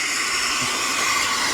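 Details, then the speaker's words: Robb Armstrong steam engine, first start in decades, heating up and building steam: continuous steady high hiss of steam leaks, no rhythm or knock; owner expects leaks to seal as it heats and expands; gland also leaking slightly. "you see a little bit of leaks but you know as as this thing gets hot and expands we was leaking up here and we're not now but as it expands it'll seal a lot of that stuff"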